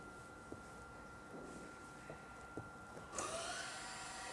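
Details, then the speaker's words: Citroën electric parking brake, ignition on, diagnostic tool on OBD running actuator test "motorized brake caliper" to release: steady high-pitched caliper motor whir over a second as the rear calipers unclamp normally, needed before replacing pads and discs. "Vous allez entendre les étriers se desserrer tout simplement et le frein se débloquer."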